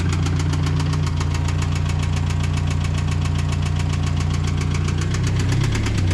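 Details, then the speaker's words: Subaru BRZ with a $4000 Facebook Marketplace replacement engine, first start: heavy evenly spaced knocking about seven times a second over low idle, steady with engine speed, described as a bad knock; rod knock. "that's definitely a knock huh I said yeah it's a bad one"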